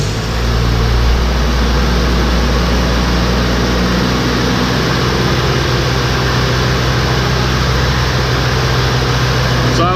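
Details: Jeep engine held at fast idle around 1,700 rpm driving the engine-driven on-board air compressor, which loads it smoothly while filling the tank; even, steady drone, sounds healthy.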